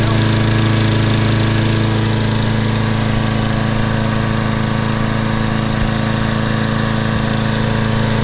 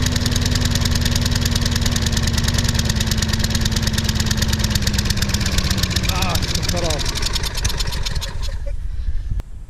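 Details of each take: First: Craftsman mower, Briggs & Stratton 6.75 gross torque 190cc engine, running after suspected thin 0W-20 oil replaced with SAE 30: steady even single-cylinder chug about three beats a second, no misses or knocks; watching muffler for oil smoke, owner thinks it's overfilled. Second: Sears Craftsman mower with Briggs & Stratton 6.75 gross torque 190cc engine, bought broken, earlier run: steady chugging slowly loses speed until it dies; later thought to be due to very thin oil (possibly 0W-20) and low compression.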